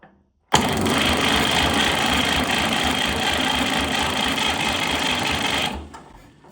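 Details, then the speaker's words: 1962 Fordson Super Dexta diesel tractor, sitting 25 years, primed with the glow plug heated: the starter turns the engine steadily about three times a second but it never catches. One fuel bleed line was left cracked open and sprayed diesel while cranking. "Nothing. I realized I had left the one fuel line cracked open. You could tell because there was diesel fuel spraying when it tried to turn over."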